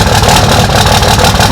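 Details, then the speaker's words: 2005 Cummins diesel with new tuner, lift pump and exhaust, old injectors: loud idle with uneven, lumpy beat and irregular exhaust stumbles; injector obviously bad, replacement planned. "really really obvious that the injector is bad now that we got the bigger ends also"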